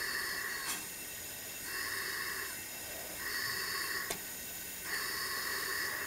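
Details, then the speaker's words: 5hp Tecumseh Mastercraft (MTD) snowblower with low compression, no power under load, bogging and stalling; engine stopped, air pumped in: repeated bursts of air hissing out of the exhaust; leaking exhaust valve, valve job needed. "actually feel air coming out of there so we've got a bad exhaust valve"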